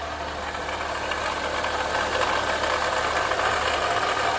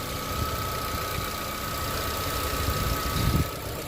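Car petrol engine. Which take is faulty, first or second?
first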